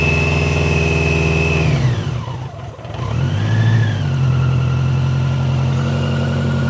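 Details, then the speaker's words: BMW K100 first start after a long layup and a fuel tank overhaul with new internals. Lumpy, uneven idle that dips sharply and recovers, "sounds like a tractor"; it sounded better later; rough running. "Sounds like a tractor."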